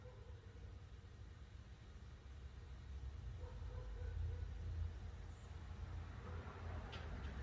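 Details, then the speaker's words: Ford Model A LS V8 swap, first start after correcting a backwards-flipped coil pack harness that caused a backfire: rough, uneven low V8 rumble that keeps running only while the starter is engaged; won't idle unless key held in start. "It ran when I had the starter moving, so it's firing, but for some reason it's not idling unless I'm in the start position."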